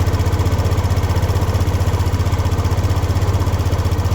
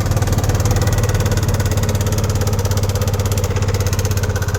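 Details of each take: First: Racing 150 single-cylinder idle after tightening the timing chain tensioner (tightens counterclockwise): the helicopter-like engine noise is gone, steady even pulsing with no top-end rattle, though the tensioner turns on its own and no longer locks. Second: Racing 150 scooter engine idling with a loud, choppy, helicopter-like clatter; owner says the engine is noisy, suspected timing chain rattle from a failed tensioner, with valve clearance and camshaft/rocker bearings also to be checked.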